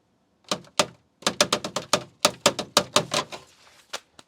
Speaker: so there's a very irritating loud and consistent rattling noise underneath the car I'll show you